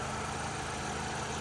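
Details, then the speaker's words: 2020 MG3 Core engine idling: smooth, even, steady low hum with no major knocks, rattles or squeals. The motor is ticking over healthily. "as we listen to it run, no major knocks, rattles or squeals. So that motor ticking over nicely."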